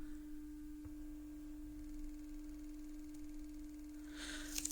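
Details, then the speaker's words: Panasonic Cobra RX DT-95/DT-75 speaker after surround replacement, driven with a 300 Hz tone plus 20 Hz added to force excursion: pure, steady tone with no rattle or breakup. The signal stays clean and the speaker reproduces it properly. "сигнал взагалі не змінився там відклеїлась чуть-чуть центруюча шайба і він дає призовки Ну ніякого рваного сигналу там на частоті 300 Гц ми не відчуваємо"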